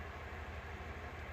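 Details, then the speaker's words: 1964 Mercury Marauder Park Lane, Z-code 390 V8, four-speed manual, at idle: even low hum with soft steady pulse, no rattle or squeal as the A/C compressor kicks on; air blowing cold, compressor running normally. "it's blowing cool it's not you can hear the compressor kick on too as well actually it's cold"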